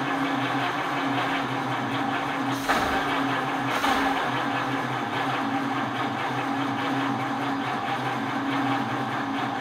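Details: 1949 Ford Shoebox, original flathead V8, first start after years dormant with rebuilt carburetor and fresh 87 octane on a weak 6-volt battery: steady starter whir, two brief sputters, never catches; possibly flooded; no-start traced to closed ignition points gap.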